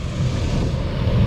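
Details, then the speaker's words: Camper rooftop air conditioner that had a running compressor but no airflow, tested on temporary wiring after the blower-side part was replaced. A deep, steady, even rumble with no knocks, squeals or surging: the blower fan spins up and runs smoothly. "I just want to make sure my fan will come on so I know I at least did it right before I make everything good so hopefully my fan comes on"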